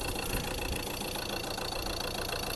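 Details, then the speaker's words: Ford Transit Custom Mk7 diesel van with poor running, over-rev and poor idle plus an oil leak: engine idles with an uneven, clattery beat, running rough; cause not yet found. "that's it basically running it's not running the best"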